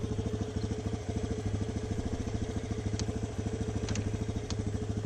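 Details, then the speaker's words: 2006 Yamaha Raptor 350 single-cylinder ATV, runs well, riding: even heavy knocking about three per second, mainly in first gear, occasionally other gears; owner suspects transmission, possibly crank bearings; knocking noise, cause unconfirmed. "It kind of sounds like a crank. But, it only does it in like first gear. And it does it every once in a while in the other gears, so I really don't know."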